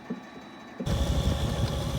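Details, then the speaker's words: Leslie 825 speaker cabinet with swapped-in DC variable-speed motor, high speed around 440 RPM: rough, throbbing low rumble with uneven knocks and clicking, strong vibration flopping the belt; faulty drive pulley needing to be remade. "you go to the high speed, you should be able to hear it right there where we go up to around uh 440 RPM and you have a area in there where it vibrates quite a bit. If if you hear that clicking, you can see I have a problem with the drive pulley, which means that I'm going to have to make that drive pulley over again."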